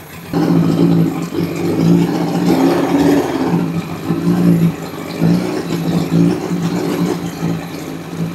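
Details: Lightly crashed Honda CBR1000RR project bike running during a hydrocarbon (combustion leak) test; light throttle blips rise and fall cleanly over a steady idle, no knocks or misses, test fluid staying blue; motor sounds healthy.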